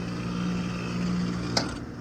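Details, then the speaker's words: Outdoor AC condenser unit from 2016, about six years old, not cooling, loud noise while running: steady loud buzzy droning hum; pressure stops falling at 188, diagnosed as a failed compressor. "应该是压缩机的声音，应该是压缩机到188就下不去了，应该是压缩机的声音。"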